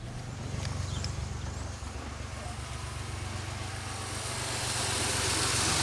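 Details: 2003 Pontiac Grand Am after intake gasket job and misfire repair, warmed up after running a while: repeated revs climb smoothly with no stumble or misfire; check engine light has not returned.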